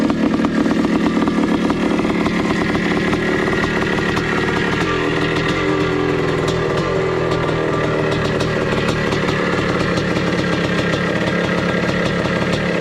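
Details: 1982 Suzuki RM465 single-cylinder two-stroke after pressure test, leak fixes, exhaust welding and reassembly: sharp crackling buzz that catches and keeps running evenly with revs held steady; engine sounds healthy.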